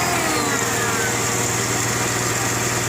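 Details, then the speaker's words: 1998 Mercedes ML320 idling just after an oil change: steady idle with a light tick about two per second and a faint high whine; owner unsure if belt tensioner or something in the engine. "Just did an oil change. But it still has like a whining, ticking sound. Don't know if it's a tensioner or something in my engine."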